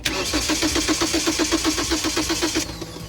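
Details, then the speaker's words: BMW parked over a year unused, jump-started from the trunk battery; starter cranks evenly about four beats a second for under three seconds with no firing: cranks but won't start, engine fault not yet determined, carb cleaner into intake to test next. "马达有反应，但是发动机启动不了。启动不了，是不是发动机坏了呀？"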